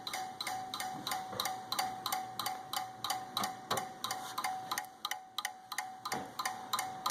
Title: PC Clicking Noise, Lights Flickering